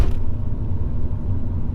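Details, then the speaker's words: HSV VS Clubsport driven at low speed after a second-hand differential is installed to cure a rear-end vibration (new axles had not fixed it): steady low driveline rumble, no clunks or whine from the rear, just mild normal driveline vibration. "it's definitely not as bad as what it was I'm fairly confident where we're done with this part um I would say that it is just normal Drive Line vibration that is left"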